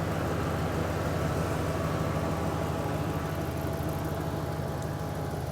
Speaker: really doesn't sound too bad it doesn't it's running smooth the engine isn't shaking like crazy